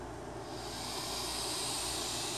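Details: 30 mm cooling fan mounted on a Yeah Racing adapter over the HPI Savage XS Flux brushless ESC, cover off: a steady airy whoosh rises briefly, then holds even with no ticking or rattle. The fan spins freely and sounds healthy.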